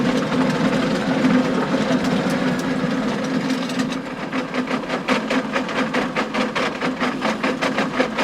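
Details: John Deere 6920 tractor with a power harrow in very wet, stony ground, bogging down: irregular sharp clacks and bangs growing sharper later as stones strike the harrow tines, which earlier stones had broken.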